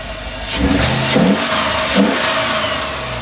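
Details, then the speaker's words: 1988 Chevy OBS Cheyenne pickup with LS 6.0 swap and 4L80E: clean, crisp revving blips with smooth, even exhaust note, no rattles or drone; exhaust came out really clean, healthy. "get y'all some of that exhaust exhaust came out really clean"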